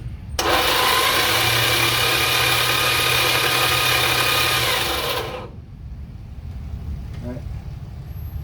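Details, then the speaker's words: 1985 Dodge D150 with 408 Magnum engine, spark plugs out, cranked via solenoid in frame: harsh loud whirring crank about four turns a second for five seconds; old starter rough and noisy. "Alright, so she spins over. That's half the battle right there. Boy, that old starter sounds horrible, don't it?"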